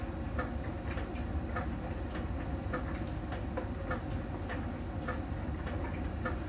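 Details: Miele dryer during drying: light, regular ticks repeat steadily over a low tumbling hum. A small ball sensor rolls over the drum and ticks when it meets a contact spot on the drum's outer surface; this is normal sensor ticking.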